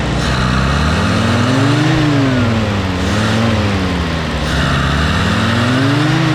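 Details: M151A2 military Jeep four-cylinder in neutral after new spark plugs and thermostat housing: smooth even engine through several rev swells, no misfire or knock; healthy, runs much better than before.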